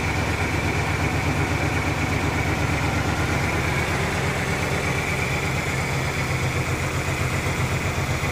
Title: 1997 Ford ranger rough idle with new gas pump